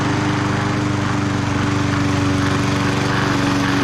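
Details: Bolens 22-inch side-discharge push mower, Briggs & Stratton 500 series single-cylinder, after no-spark repair, cutting its thickest grass: steady even drone about four beats a second, no misses; normal running under load.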